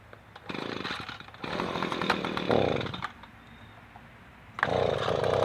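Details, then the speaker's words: Echo PB-250LN two-stroke leaf blower after broken fuel lines were replaced and the carburetor taken down: roars in bursts at full throttle with pauses and runs steadily. Owner is unsure whether it is as strong as it should be; possibly low power. "well I don't know if that's running as strong as it should or not it seems to be running okay to me"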